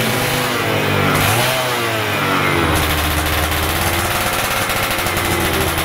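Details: Stock Yamaha F1ZR 110 two-stroke, carburetor air screw set about 2.5 turns out: small crackles and pops as it is blipped from idle, picking up quickly and cleanly; normal revving.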